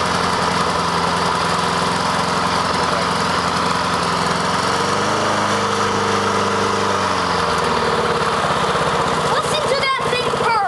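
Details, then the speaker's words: Self-propelled Honda lawn mower after a cold start with choke, unused all year; even steady single-cylinder hum with no misses, surging or knocking, running cleanly. "isn't it beautiful got self drive and we're going to go ahead and put it on high"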